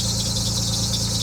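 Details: Abandoned Nissan 300ZX idling just after its fuel pump was replaced with a used one: a constant high-pitched squeal over a steady idle, unchanging in pitch. The new pump sounds better than the old one; the source of the squeal has not been found.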